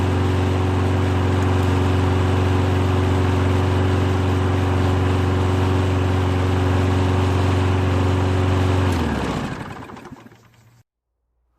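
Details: Toro lawn mower that wouldn't start after a bad tank of gas clogged the carburetor jet with debris. After the jet was cleared and the carb refitted, it runs smooth and steady with an even low drone, then winds down cleanly.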